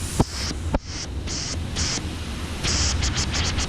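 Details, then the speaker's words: Omega water source heat pump during a refrigerant leak repair: nitrogen purge flowing from the tank through the system via a depressor on the hose before brazing, a low steady hum with repeated sharp hisses, normal flow. "Yep. So now we have nitrogen flowing through the system."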